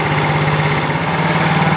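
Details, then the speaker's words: New TaoTao ATM50-A1 50cc scooter (GY6 139QMB carburetor), warm after about 5 minutes: fast, even idle with steady low hum, after setting idle mixture screw to the highest-idle spot. "now I found the spot that gives me the highest idle"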